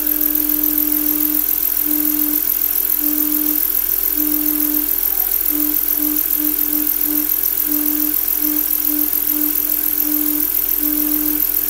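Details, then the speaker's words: Volkswagen B5 engine running: a steady hum-like whistle comes and goes as the crankcase ventilation (PCV) valve sings. "еще у нас клапан вентиляции картерных газов поет об этом дальше увидите"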